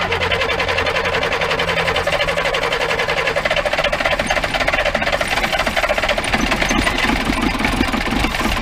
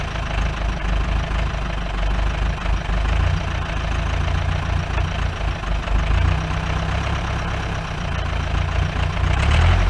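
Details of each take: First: 1953 Mercedes 170D (W136) four-cylinder diesel, previously seized, revived after valve adjustment, glow plugs bad: even, steady diesel clatter at settled idle, no misses or heavy knocks; sounds pretty good, normal running. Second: 1953 Mercedes 170D (W136) four-cylinder diesel, once-seized restoration project, idling with the microphone at the rear "business end": low, rough idle with a steady rapid knock about four per second over clatter, smoke; owner suspects worn injector nozzles and holders.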